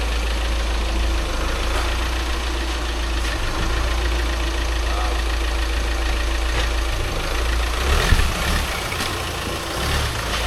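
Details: VW Crafter diesel van just after clutch and flywheel replacement, being test-moved: steady low diesel rumble at idle with an even beat, no knocks or grinding; normal idle.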